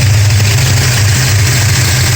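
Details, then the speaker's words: 1969 Dodge Charger 440 V8 idling several minutes after re-torquing loose exhaust header bolts and intake bolts: deep steady even idle, no banging or popping that normally appeared by now; loose header bolts believed cause. "I've been running for a few minutes now, and normally by now we would have had that loud banging noise, but fingers crossed, it looks like it was the loose header bolts on the exhaust."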